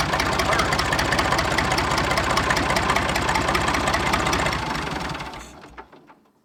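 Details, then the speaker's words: Massey 2500 tractor forklift with a 27-foot boom: even, regular diesel clatter at a steady idle, then a clean wind-down at shutoff; runs good, engine sounds healthy. "Now I'm gonna take her for a rip, but she runs good, eh?"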